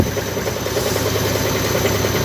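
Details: Side-door washing machine during spin: fast, pulsing drone with a rhythmic shudder and strong vibration; loose counterweight bolts letting the drum shake hard.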